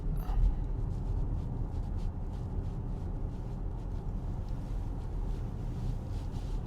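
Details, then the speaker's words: Acura MDX after a dealer transmission replacement (original failed at 40,000 km), heard in the cabin at about 40 km/h: low, even road rumble with no whine, clunk or flare; the transmission sounds quiet and normal. "We're now at 40, 42, technically there. It's fairly quiet."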